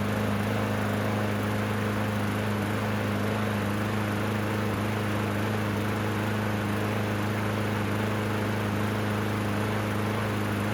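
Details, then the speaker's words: Yard Machines walk-behind mower, trade-in, air filter oiled and oil checked: loud steady engine drone with strong low hum and coarse shake; excessive vibration from worn mower blade, to be replaced. "happy with that. Lots of vibrations, so I'm going to replace the blade."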